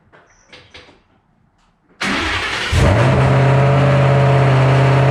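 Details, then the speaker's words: 2007 Shelby GT500 supercharged V8 after L&M NSR cam install: cranks briefly, then settles into a loud, steady, fast idle with deep even burble; owner thinks the very high idle may just be from being cold. High idle. "all right very high idles i'm sure that's the best could just be cold side but uh still check cooling thing real quick"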